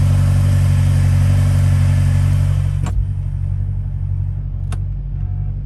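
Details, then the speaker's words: 2016 BMW X5M (N63/S63TU V8) after spark plug change: strong even rumble settling into smooth steady idle, no misfire; normal start and idle. "nothing like his misfire or anything starting normal recording so pretty sure everything's good to go"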